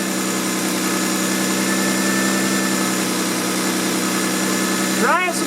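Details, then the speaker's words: Car with 230,000 miles, just after fuel filter change, idle problem previously fixed by cleaning throttle body, IAC and mass airflow sensor: even, settled mid-pitched idle hum, no stumbles or misses; normal idle. "This is a great car, great engine, 230,000 miles on it. Runs like a top other than the problem I told you about."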